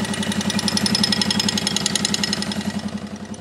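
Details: 1979 Yamaha XS1100 Special motorcycle at idle: rapid, sharp metallic clicking from the left side of the engine, absent on the right side; cause unknown.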